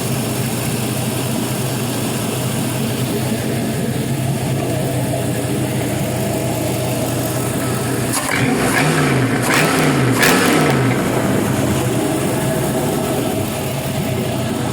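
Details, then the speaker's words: 5.3L Gen 3 LM7 LS V8, 140k miles, fitted with brand-new LS7 lifters, running warm on a test stand at about 192 degrees: smooth, even idle with no lifter tick over the steady rumble; valvetrain quiet and healthy. "so those lifters brand new ls7 lifters are nice and quiet"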